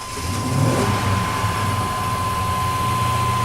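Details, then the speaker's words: Dually truck after a hot shutdown and immediate restart: steady elevated drone with a thin whistle of intake suction, air filter off, won't drop below 1200 rpm to the usual 600; owner hears possible air leak, oxygen sensor damaged by squirrels. "it will not drop under 1200 RPM and if I put it in gear hold on that time it did h but yeah she won't come back down to 6 5 600 RPM"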